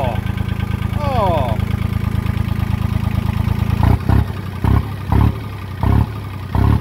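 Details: John Deere 1050 tractor diesel: steady low clatter at idle, then several short even throttle blips picking up and dropping back cleanly; engine sounds healthy, normal idle.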